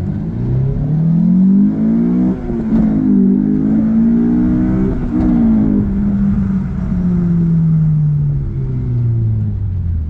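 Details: Honda S2000 petrol engine after fixing a high-rpm misfire; it pulls cleanly through two rising runs into VTEC and shifts, smooth and even with no stumble: normal acceleration, no misfire.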